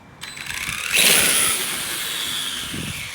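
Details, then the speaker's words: 11-year-old Traxxas Summit on 6S with a TP Power motor and metal transfer cases, run in high gear on concrete: harsh high-pitched rattling burst fading to a thin whir; the plastic spur gear, kept as a weak link, stripped its teeth. "that's the reason I leave that plastic gear there is because when I threw it on high I ended up stripping out the gear on it"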